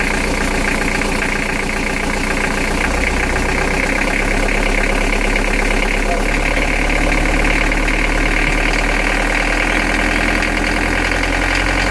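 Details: Nanni diesel: knock on every turn, loudest under throttle; oil changed with nothing found, cured by refurbishing all injectors and adjusting slightly-out valve clearances.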